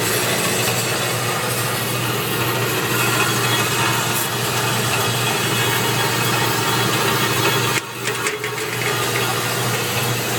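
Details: Unused Turn Pro 10x17-inch belt-drive horizontal band saw, 220 V 3-phase, coolant system on: steady motor hum with even blade rasp, no knocks, rattles or speed dips; runs smoothly and properly.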